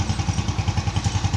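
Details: Rebuilt Yamaha Jupiter ZR/Vega ZR single, restarted after reinstallation, with serviced carburetor; crisp, regular pulses about ten a second with no tapping. A smooth, healthy idle.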